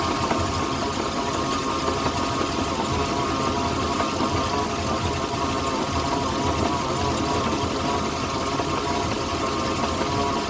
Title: 2008 Moomba Indmar 5.7 motor whining sound